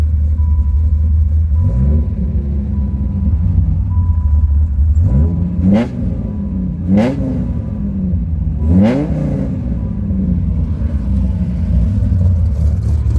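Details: Rebuilt Dodge Viper V10 after final assembly, with a K&N intake: a deep smooth idle with three quick, clean revs that rise and fall evenly. There are no knocks or misses, so it is running healthy.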